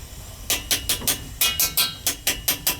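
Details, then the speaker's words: Gas boiler hydronic heating system with no heat to second floor, expansion tank tapped: about a dozen sharp taps, roughly four a second, sounding flat with no hollow ring; tank full of water with no air charge, condemned for replacement. "full of [Music] water she sounds like it that's why the valve was off bet you it's water in it it's got water in it it's no good there's no air in it Tank's no good"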